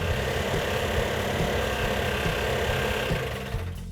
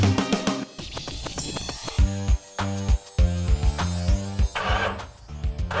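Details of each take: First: Mopar 340 V8 built a year earlier then left sitting, first fire-up: loud uneven stumbling beat, running on about six cylinders; compression test showed low compression, rings suspected stuck on pistons. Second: Rebuilt 340 V8 in a Mopar after fixing problems that included running on about six cylinders with low compression: fires and settles into a deep, steady rumble with no knocks or ticks, running normally.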